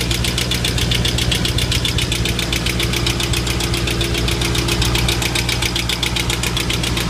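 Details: 2005 Mustang GT V8, 108k miles, Mobil 1 5W-20 with K&N filter, idling with a fast, steady tick over the low engine rumble; cause of ticking unknown.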